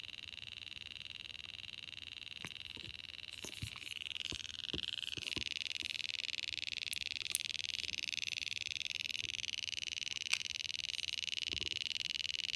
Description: Happened while charging. Only stopped when I removed the battery.